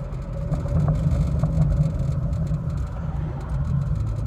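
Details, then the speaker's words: Vauxhall Corsa B 1.4 fuel injection, automatic, about 49,500 miles, on a road drive checking for overheating: low steady engine drone under wind and road noise, no knocks, misses or surging; runs extremely well. "it does run extremely well"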